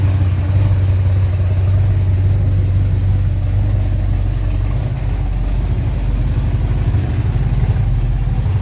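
Steady, even low idle with no squeal or chirp on top; the belt drive sounds quiet and healthy.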